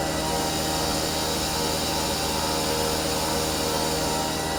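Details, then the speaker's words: CNC milling machine, bought used, cutting at 85% feed rate with light step-over: steady, even cutting roar with constant high hiss, no chatter or squeal; healthy cut, slightly jerky on edge passes, possibly smoothing off. "actually looks like it's doing a really nice job"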